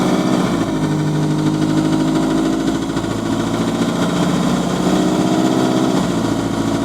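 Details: GAL SE101 bus on route 286, diesel idling: a steady clatter with a dull knock on each crank turn; rod bearing knock.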